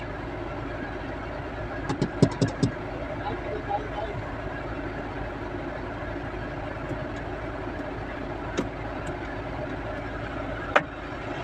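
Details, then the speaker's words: Tata Nexon with the AC on and the engine idling: over the fan hum, sharp clicks and a knock come from inside the blower housing when the temperature is set low or high; AC blend flap knocking. "इसे blower जब आप AC on करके जब आप temperature set करते हो ना temperature लो high जब करते हो तब ये साउंड आ रहा है फ्लैप जो क्लोज और ओपन होता है ना उसका साउंड है"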